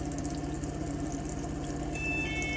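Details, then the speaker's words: 2002 IH motorhome water system, hot tap after cold side: strong, steady rush of water, little air spitting, no spluttering or surging; good pressure both sides, pump later stops itself at full pressure. "so yeah good pressure in both sides of the system a little bit of air there coming out but now I can turn that off"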